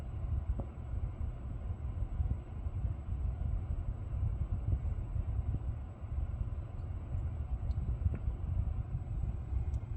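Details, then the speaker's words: Lucid electric car after a logo reset (switching profiles and another reset hadn't cleared the buzz): only low, even road rumble with a few faint ticks, no buzzing or whine; drive sounds normal. "Now it seems to have stopped. I hope it doesn't come back. So far so good."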